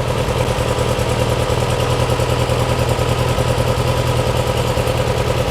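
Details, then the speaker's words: Porsche 356 Speedster replica on VW engine, after remote oil filter over-pressurization fix (pressure previously built toward 300 PSI): steady, even idle, no knocks or misses; oil pressure settled to 40–45, cooler warming, oil circulating; normal idle. "sounds good yeah we're down to 40 45"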